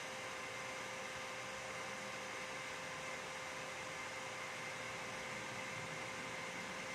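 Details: Dell OptiPlex 3020 desktop: steady loud airy rush with a faint constant whine and no speed change; cooling fan running noisily, cause not confirmed.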